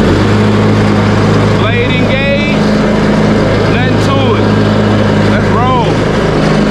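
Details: Craftsman T130 riding mower, repaired after a no-crank fuse problem and started on choke, mowing with the blade engaged: a steady, even hum with no bogging or misses and some chirpy background noise; normal running under load.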